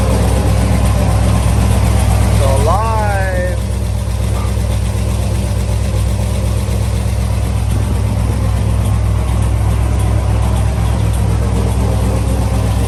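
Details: Chevrolet Camaro LS3 V8 after repair of a stuck lifter that caused intake backfiring and ticking, with new cam and lifters fitted: catches quickly, then a strong, even idle with no valvetrain ticking.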